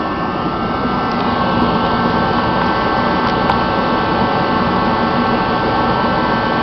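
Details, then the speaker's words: Rebuilt Mr Heater contractor series torpedo heater fires right up on first spark: an even, steady roar of fan and flame with no surging, popping or sputtering. It should reach maximum burn in 30–60 seconds, pump pressure is about 8 psi and the thermostat is set low. Normal running. "got spark fired right up folks fires right up no problems"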